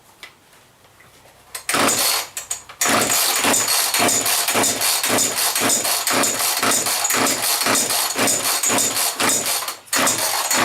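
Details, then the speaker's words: Chainsaw with fresh mix gas and a suspected leaking cap, throttle lock not holding: repeated rapid rasping starter pulls, about four a second, never catching; hard starting, owner suspects a fuel problem. "so it might still have fuel problems didn't seem to want to lock the throttle on there"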